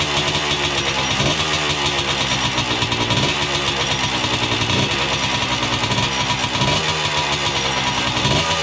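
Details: 1979 Yamaha IT 250 two-stroke after 15–20 years in storage, carb cleaned, first start: crisp rapid crackle holding steady with a light blip every second or so, running clean and healthy.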